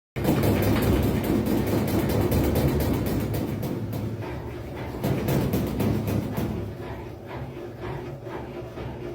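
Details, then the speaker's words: Consul 11 kg washing machine in spin: rapid, regular thumping of the tub, about three knocks a second, as the machine bangs and jumps; possibly caused by worn suspension rods, fixed by replacing them. "máquina se batendo na centrifugação então Gente esse essa bateção esse barulho aí que vocês acabaram de ver é um dos problemas né causados que causa isso aí"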